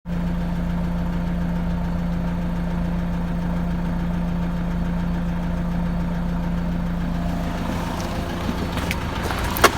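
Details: Peugeot Boxer 2.2 turbo diesel, about 426,000 km, cold idle: sharp even ticking knock over the diesel clatter; owner suspects a weak-point part pressed by hand, possibly valves knocked out of place, not yet confirmed.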